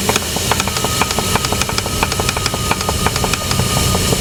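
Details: 4.7 V8 engine: steady, sharp knocking about three times a second over rough running, a loud knock from inside the engine.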